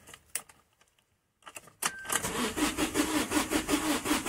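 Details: 2008 Vauxhall Combo diesel, no fault codes: steady starter cranking at about three compressions a second with fuel pump hum, never catches; scan tool loses PCM comms and rail pressure reads 0 kPa while cranking. Crank, no start.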